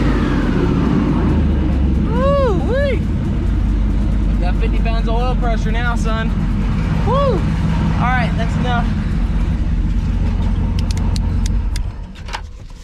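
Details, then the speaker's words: Twin-turbo LS V8 swapped into a Foxbody, first start after the turbos were installed, untuned: deep steady V8 rumble with short chirpy whistles, super quiet and smooth with no knocks; a normal idle. "That's enough for now. It's super quiet now."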